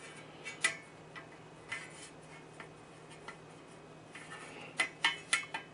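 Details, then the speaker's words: Vintage Arctic Air fan running with the cage off: sharp irregular clicks about one a second, bunching toward the end, over faint motor hum; shaft appears fine, suspected loose center hub with loose tabs holding the blade assembly, not confirmed. "all right definitely still something sticking now I did get another suggestion online that if it's not the shaft and it doesn't appear to be that could be an issue with this Center hub"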